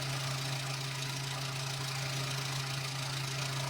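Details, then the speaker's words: Nissan Be-1 small petrol engine, ignition timing set by ear to the smoothest position with vacuum advance connected: steady low hum with an even, fairly quick pulse and no misses; idling smoothly. "And then I listened for it to be in the smoothest position and that that's where I decided to lock it"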